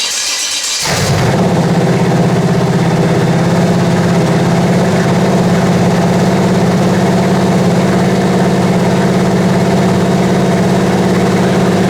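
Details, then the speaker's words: Rebuilt 388 small-block Chevy with cam swap, break-in run set at 2,000 rpm, fan and radiator in front, good oil pressure: catches after a second, steady even fast idle, no valve train ticking or knocking; starter noise present; sounds healthy. "It's awful responsive if there was something a little bit out of adjustment. I don't hear no valve train noise. So I think it's good."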